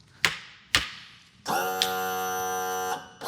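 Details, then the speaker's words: Boat trim motor running on its own: two sharp clicks, then the electric motor hums about 1.5 seconds, stops and restarts briefly. Owner suspects the trim switch, probably aftermarket, and plans a replacement; the cause is unconfirmed. "Whoa. There's got to be an issue with the switch. Let's try this again."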